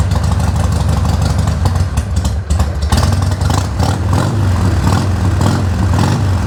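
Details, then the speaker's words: Harley-Davidson 1200 Sportster just re-jetted without removing the carburetor, started on choke. Deep, loping V-twin idle with a steady uneven beat and clean throttle pickup; running healthy, normal idle. "Man, this thing sounds so good."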